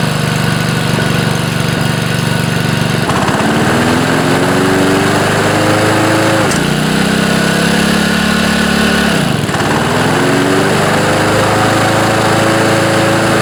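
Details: Honda HR215 5.0 hp mower engine after reassembly with a new governor gear, mainshaft seal and sump gasket, following over-revving: it catches and runs steadily, with revs climbing and settling twice and no knocking or surging.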